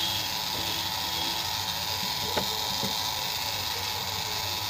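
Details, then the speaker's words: Sunshine 857DW+ SMD rework station, ten days old, cover open: loud harsh steady hiss with rough buzzing drone and weak airflow, can't blow a cloth even at setting 10; owner suspects the air pump motor is jammed. "इसका sound को सुन लो बहुत बहुत आवाज आ रही है और प्यार भी नहीं दे रही है"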